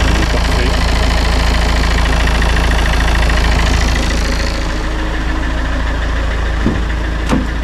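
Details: Citroën C4 Grand Picasso 2.0 BlueHDi 150 diesel after head gasket repair and engine refit, with no overheating or oil or coolant loss: even, regular idle clatter with no misses or chuffing. Healthy idle.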